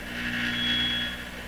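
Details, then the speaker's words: 1925 Lacault Ultradyne receiver with no antenna connected: low hum under a thin, steady high whistle, the receiver's own noise and regeneration/feedback, after changes to the local oscillator coupling. "sounds like a radio doesn't it with no antenna does not sound like a radio"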